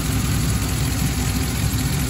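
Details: 2013 Chevy Tahoe started after replacing a heater hose: steady, even low rumble at idle with no knocks, misses or squeals; engine sounds healthy and heat is already coming out.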